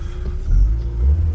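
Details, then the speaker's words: Mark 1 Audi TT turbo, engine codes cleared, no engine light, chilly weather: deep even rumble swelling smoothly when revved, no knocks or rattles; starts and drives well, turbo kicking in properly. "The car revs, it starts and drives beautifully. Turbo kicking in as and when it should."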